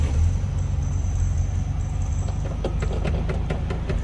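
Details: 1974 Volkswagen Super Beetle with new carburetor: engine catches easily and settles into a steady, even low rumble with no knocks or misses; normal idle.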